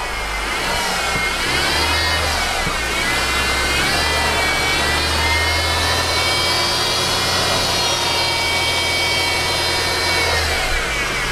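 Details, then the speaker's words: Mercedes, engine running, hood open: high, dental-drill-like whine rising and falling with revs, from a failing belt idler pulley, not timing chain or variable timing gear. "okay and you can hear that whining it's kind of like a dental machine"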